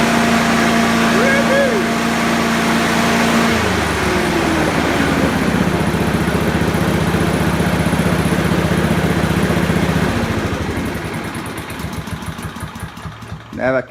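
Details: Honda HRU216 mower after tune-up preloading governor arm to fix poor top-end revs: runs steady and strong at full throttle, then winds down smoothly at shutoff; healthy.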